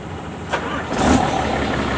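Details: Hino Lohan 260 diesel truck after fuel injection pump (bospom) adjustment: cranks briefly, catches within a second without throttle, settles into a steady, even idle; starts cleanly, previously needed throttle to start and died when braking.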